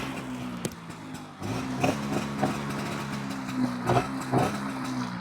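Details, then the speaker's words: 1998 Bajaj Chetak two-stroke scooter after silencer repair at garage: low steady putter with soft even exhaust pulses, no harsh blare, far quieter than before; normal running. "काही आता आपला आवाज येतोय सध्या तरी, आणि फुल पहिला आवाज आणि आताच्या आवाजामध्ये खूप फरक आहे."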